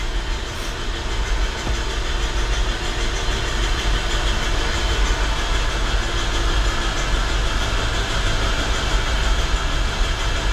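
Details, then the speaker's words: Nissan 200SX SR20DET engine, cranked with spark plugs and coil packs out to build oil pressure before first start. Fast, even starter whirr with no firing, knocks or grinding. Normal cranking. "We're just gonna crank it over, build up some oil pressure."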